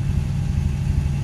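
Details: 1981 Corvette Turbo just started after 30+ years of storage: deep, steady V8 rumble with an even beat and no knocks or misses; oil pressure good, alternator belt missing, smoke from old debris on the exhaust and spilled oil.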